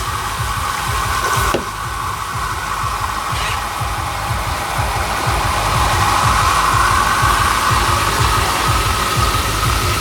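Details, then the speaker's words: Water pump on a homemade shower setup: steady gravelly crackle and rattle, cavitation as the pump pulls so much vacuum that water flashes to vapour bubbles that then collapse. "That sound that you hear, that is cavitation. So basically, this pump pulls so much vacuum that water expands to steam without even needing to be hot."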